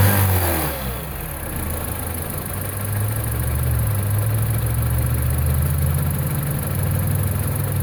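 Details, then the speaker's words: 2009 Mini Cooper R56 non-S with the intake silencer box removed and a VPN 802 tube fitted: starts and holds a smooth, even drone with mild throttle blips, no knocks or rattles; sounds only slightly different from before. "I don't know if it sounds that much different. It sounds a little bit different, but I guess the truth will be in the driving."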